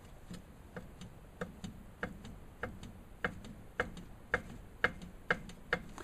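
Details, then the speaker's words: Mercedes 230SL front steering knuckle rocked by hand: sharp dry clicks, about two a second, from a worn kingpin riding in brass bushings; retaining nut was missing. Kingpin to be replaced. "okay it's not supposed to click that's loose so we're going to take care of all that"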